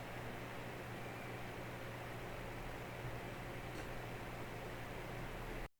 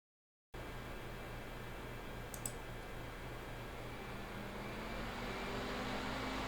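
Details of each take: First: Small ITX PC after replacing the AMD Wraith Spire with a Noctua NH-L12S CPU cooler, at idle and during video export: a soft, even airy hush with a faint low hum, no ticking. Quiet and healthy, averaging 52°C. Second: Mini-ITX PC with Ryzen 5 3600X and stock AMD Wraith Spire cooler in a tiny case: steady airy fan rush with low hum swelling and rising in pitch under only light use, like double-clicking a folder.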